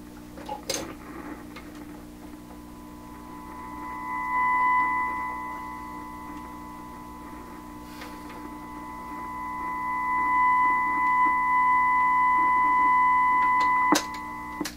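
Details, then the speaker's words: 1928 RCA Victor Model 28V radio receiver under troubleshooting for receiving no stations, power supply largely in order, run at 100 volts: steady tone near 1 kHz swelling and fading, heard regardless of tuning. "i can't imagine that's going to suddenly make this radio work just kind of hear the tone coming through all the"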